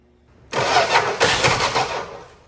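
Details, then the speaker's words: 1961 Valiant six-cylinder that sat 30+ years, spark confirmed with tester, fuel line pulled off the tank, timing off: steady, even starter cranking for about 1.5 seconds, never catches; crank no start, cause suspected. "crank it over and see if that looks any better maybe turn the key on try it again with the key on we got Spark"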